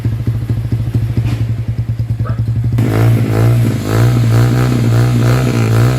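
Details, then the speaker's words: Motorstar motorcycle with a freshly cleaned carburetor still misfiring: putters unevenly at idle and stumbles when revved; battery reads about 1 volt, and misfire eases when battery power is supplied, so weak battery suspected. "battery ang problema yata ito guys kasi pagka sinisirisan namin ng Baterya no"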